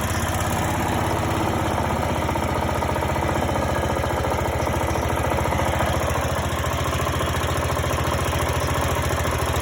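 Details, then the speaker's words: Greenfield E2000 ride-on mower, 17HP Briggs & Stratton Intek OHV, sat for years, revived with starting spray: steady even putter at low idle, no misses or knocks; runs nicely, healthy, no tune needed. "There you go, secret weapon. That runs pretty nice. So that was down to low idle. Don't think it needs a tune or anything."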